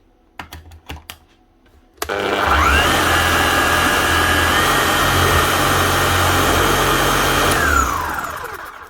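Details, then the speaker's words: Makita HM1111C chipping hammer, previously overheating, down on power and hammering poorly, after full service and new armature/motor; motor spins up to smooth, steady whine, holds even speed, winds down cleanly; sounds much better. "sounds a lot better. Get a chisel and we'll just test her out."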